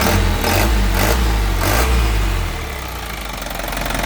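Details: Isuzu Elf NKR71 long-chassis diesel truck, 2014: a few throttle blips rise and fall, then the engine settles into an even, steady idle clatter with no smoke; sounds healthy, normal idle.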